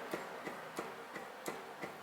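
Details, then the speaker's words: Onyx Vesper hubs on We Are One Union wheels, rear axle torqued to 165 in-lb: faint sharp clicks about three per second as wheel is rocked, play in the hub. "i hope you guys can hear that but you'll hear that there is actually play in this hub and this this right here this is the issue that a ton of people are facing is that there's play in their hubs"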